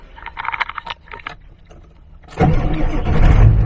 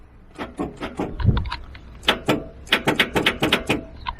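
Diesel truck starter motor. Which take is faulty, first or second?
second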